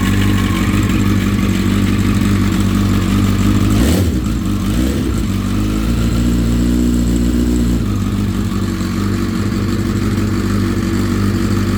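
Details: Honda CBR1000RR SC57: metallic chatter about three a second over a lumpy cold idle on start-up, fading after brief warm-up and returning on restart after ~10 min stop; owner suspects cam chain tensioner; chirping possibly heard while riding.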